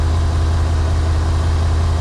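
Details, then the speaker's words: 1991 Yamaha Venture Royale being revived, warming up on choke after first start: steady even low rumble with no misses or knocks, not smoky; normal idle. "that's funny it runs runs good too yeah I'll let it warm up a bit and we'll see if it runs without the choke"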